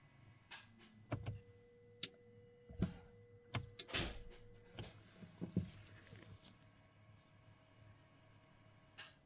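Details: 2016 Mercedes GLE 450 with new genuine aux battery under left rear seat (12.6 V): after stalling when put in drive or reverse, starter only clicks, no crank, dash goes dark; starts fine with aux battery disconnected. Suspected low voltage or bad ground, unconfirmed.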